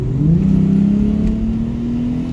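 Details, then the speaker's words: Jaguar XJS 5.3 V12, 3-speed TH400 automatic, full throttle from 30 mph in D to about 60 with the kickdown working: the engine note jumps sharply and climbs smoothly as the box kicks down to first, so kickdown is working properly. "Yeah, that's a dramatic difference. You can quite clearly see it kick down to first there at 30 miles an hour."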